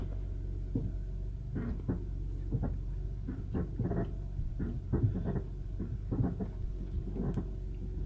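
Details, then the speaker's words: 2003-2007 Honda Accord V6 automatic, struts, sway links, rack, tie rods, engine mounts already replaced; dull irregular front-end thumps when applying or releasing brake while stationary; owner suspects worn lower control arm bushings, ball joints not ruled out. "I believe those are the lower control mounts because that's the last thing left to change other than the ball joints"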